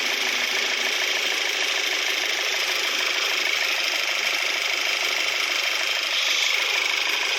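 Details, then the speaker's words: Volkswagen Tiguan, 90,000 km, after engine overhaul with one piston replaced following a broken valve spring, battery weak: steady, even idle with a light quick valvetrain tick, no knocks or misses; normal idle. "Sound sounds no problem"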